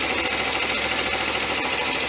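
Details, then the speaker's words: Suzuki V-Strom 250 idling to warm the oil before an oil and filter change, a day after a valve adjustment: quick, light, evenly spaced ticking over a steady idle with no stumbles. Normal idle. "And I'll just run that for a minute or two just to get some movement on the oil, some warmth."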